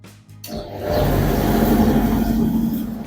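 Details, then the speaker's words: Candy CSOEC10TBE-19 10kg condensation tumble dryer after its broken drive V-belt was replaced. The motor kicks in, then a steady, even drum hum with no slipping, squeal or scraping; the drum turns normally again. "Yes, dear friends, you can see machine is running well. Machine is running well. No any problem."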